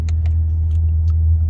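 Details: 2020 Honda Accord Hybrid cruising at about 10 mph, vibration recurring after an earlier dealer repair; steady deep droning hum with the engine running alongside the motor: low-speed vibration rumble, cause unknown.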